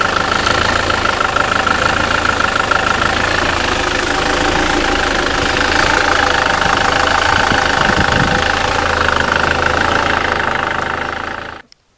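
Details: 2007 SsangYong Kyron 141 hp diesel, manual gearbox, 200,000 km, after flywheel and clutch replacement: calm, even idle clatter with no heavy knock from the rear of the engine, then shuts off; normal idle.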